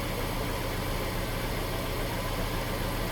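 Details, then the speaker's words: Daimler Super V8 supercharged, first start after replacing cracked secondary cam chain tensioners with metal ones, new supercharger and ancillary belts, and a new supercharger belt bearing: smooth, steady idle with no chain rattle or belt squeak; healthy. "Sounds good to me. No supercharger belt squeak. All nice and smooth."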